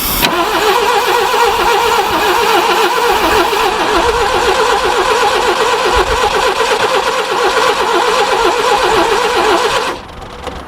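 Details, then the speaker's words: Barn-find Subaru Brumby ute that sat seized and full of water, cranking with fuel poured into the carburettor: steady starter churning about four beats a second with uneven catches, trying to fire but not running; rings possibly gunked. "but it'll come good probably good to go yeah good thing come on it's very close and it wants to go"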